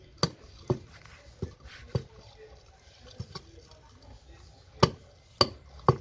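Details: Renault Kangoo, customer reports a clunk: sharp, uneven suspension clunks in twos and threes with quiet gaps, not every time; mechanic says shock absorbers should also be replaced.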